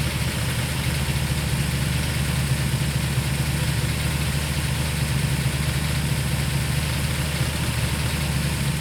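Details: Ford FE V8 (likely one of the 1968/69 Torino GT 390s, after fitting fabricated distributor plates and adjusting the vacuum advance) with a low, lumpy, wavering idle that won't settle. The timed spark port shows vacuum even with the idle screw fully out, so the owner suspects the accelerator pedal linkage is holding the throttle open.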